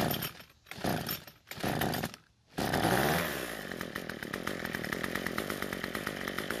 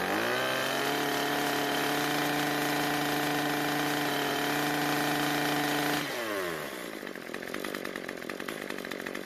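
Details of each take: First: Cub Cadet two-stroke trimmer on fresh ethanol-free fuel with two-stroke oil, before carburetor adjustment: sputters and cuts out at idle, then buzzes unevenly; lean low-speed mixture, fuel-starved. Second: Cub Cadet two-stroke trimmer that died at idle, apparently starved for fuel. After turning the L screw about a quarter turn counterclockwise, it holds a steady high buzz, then drops cleanly to a settled idle without stumbling or dying.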